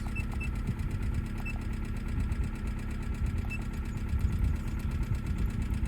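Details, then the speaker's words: Cheap Hyundai race car just bought, idling: low, lumpy idle with an uneven beat under a steady hum; scan shows misfires on cylinders 2 and 3, likely from bad fuel, plus a catalyst efficiency code for bank 1. "you can see here cylinder 3 and a cylinder 2 misfire so this is probably because it's got crap"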